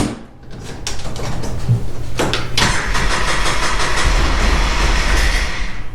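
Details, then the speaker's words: 2009 Polaris Ranger 700 EFI after a new starter and rewiring, not run in a while: cranks, catches roughly and only keeps going with throttle, stumbling and stalling. Hard start and won't idle; possibly low on fuel, cause unknown. "I mean, it tried to start. Huh, I'll give it a little It should Give it a little gas."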